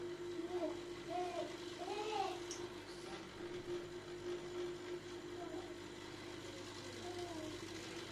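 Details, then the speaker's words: Demirdöküm Nepto combi boiler: steady hum around 350 Hz, a serious noise from the Grundfos circulation pump motor, which is definitely faulty and must be replaced. "Devirden pompa motorumuz kesinlikle arızalı."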